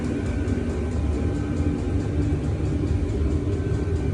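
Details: Vevor air heater running in an uninsulated garage, heard near its intake fan and exhaust silencer; an even fan whir, low steady hum and faint regular pump ticking. Running normally.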